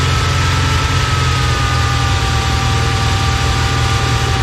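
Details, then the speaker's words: 1990 Chevy R3500 crew cab dually V8 idling after fixing previous misfires: steady deep rumble with no misses, just a faint occasional exhaust pop, possibly left over from earlier misfires. "But, uh, yeah, this thing sounds amazing already. I mean, it's not Before it was like you could hear a couple misses just sitting there idling and you'd hear the exhaust back here just popping every time."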